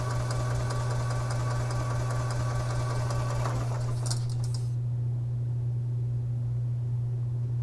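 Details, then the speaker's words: 2011 EZGO TXT gas golf cart, crank-no-start, cranked while the fuel filter and pump were primed with clean gas. Several seconds of steady, even low drone without firing: normal cranking. "see if this cart should fire right up and there's no debris coming out of the fuel line so I know the fuel line's still good"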